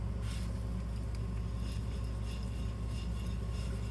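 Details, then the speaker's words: 2014 Chevy Malibu removed wheel hub spun by hand: gritty, rough bearing rumble with some play, bearings shot; the new hub spins silently and smoothly by comparison. "It's really gritty. And you hear that bearing noise in there. Those bearings are shot."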